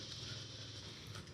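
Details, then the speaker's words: 1971 Chrysler New Yorker 440, revived after sitting over 20 years: after the electric fuel pump clicks, it settles into a steady, even hum with a light tick, now pumping fuel and filling the carburetor normally. "OH, THERE IT GOT QUIET. SEE? Now it's pumping fuel up here."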